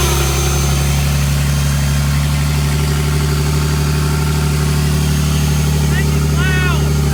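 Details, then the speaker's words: 2023 BMW M3 rebuilt from a wreck, with a newly installed KLM Race big turbo kit and a near-straight-pipe exhaust, at its first start: a strong, steady low rumble with a loud open-exhaust bark and an even beat, no misses or knocks, a clean, healthy idle. "That sounds good. It sounds so good. Even though the exhaust is not, it's basically straight pipe right now, dude."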